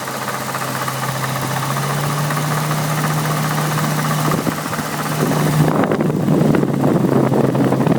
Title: N62B48 "clicking" noise (failed water pump)